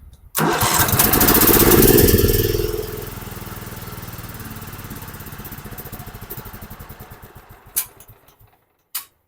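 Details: Dixon 4422 zero-turn mower after a repair of a corroded key switch and replacement of the relay: the engine catches on the first crank, revs up, settles to an even idle, then shuts off cleanly. A healthy start.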